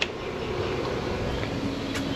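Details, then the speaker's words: 2006 Evinrude 90 E-TEC outboard that starts then dies; aftermarket electric fuel pump jumpered straight to battery gives a steady even hum, confirming the pump runs; its wiring was found reversed (hot and ground backwards). "But here that pump come on and it's definitely a pump. I wonder if we put this on if it'll start run."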